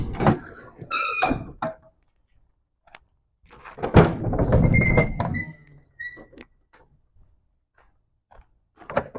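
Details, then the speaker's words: Luggage bay doors on a 2014 MCI J4500 coach (Cummins engine, ZF transmission) thunk and give short high squeaks as they swing; the hinges are squealing from lack of lubrication and need grease or WD40. "you may hear that these luggage bay doors squealing a little bit we'll definitely get some grease on those that way they stop squealing or some WD40 or something they definitely can use it"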